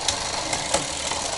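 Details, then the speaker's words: Road bicycle rear derailleur just installed and being adjusted: continuous dry scraping with sharp ticks, chain won't reach first gear; chain routed on the wrong side of the derailleur tab and rubbing. "yes it is making quite a bit of noise and it's not going to the first gear so i have to loosen the other screw as well"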